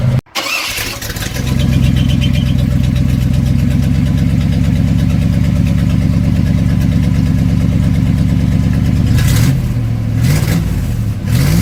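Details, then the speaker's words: Chevy G30 ambulance small-block V8, with loose alternator bracket throwing belts: starts and idles with a rapid uneven chuffing puff, then two throttle blips; exhaust leak. "Also, the ambulance has an exhaust leak right now."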